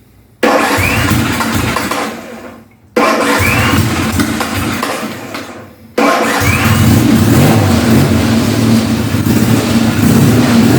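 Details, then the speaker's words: 1975 Norton Commando 850 MKIII, first start after full service, without tickling or choke: two short cranks, then the twin catches and settles into a steady even idle. Clean, healthy start. "As I say, it's a good starter. Let's see if it will start without tickling, without choke."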